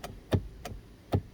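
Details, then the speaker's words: 2015 Buick Verano driver power seat: sharp isolated clicks about three a second as the motor clicks but the seat won't lower (likely at top point); motor and voltage good, switch diagnosed faulty and to be replaced. "you can hear the motor clicking but it doesn't go down so that means that it's probably all the way to its top point but it's not going down"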